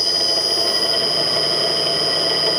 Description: Millport/Bridgeport mill motor with rusted, worn out bearings.